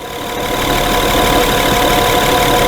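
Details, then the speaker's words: 2011 Honda Pilot idling after repair of intermittent hot surging and stalling, run over 3 hours and crank trigger wheel demagnetized: steady, even idle hum with no hunting or dips in speed; holds its speed smoothly. "They've run this vehicle for over 3 hours. It is not surging, nor is it stalling. The shop is convinced it's fixed."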